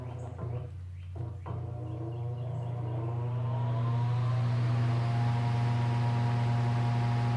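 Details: Late-1940s–50s Hunter CG-16 industrial fan, found weathered, after freeing and lubricating the oscillator mechanism: low hum building as it spins to full speed, then a smooth even drone; motor healthy.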